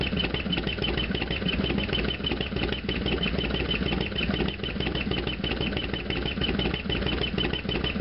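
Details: Harley FXDX V-twin warm after half-mile ride: loud, fast, even clatter over the lumpy idle beat; loud engine noise at idle, source unclear.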